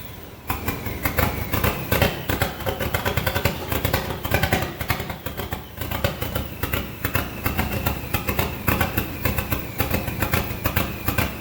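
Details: SRT-4 engine in a Mazda B2200 drift truck, restarted after a blown PCM fuse. Stumbling idle with uneven, lumpy firing and no steady rhythm. Rough because idle air control, TPS and intake air temp sensors are unplugged and there is no O2 sensor.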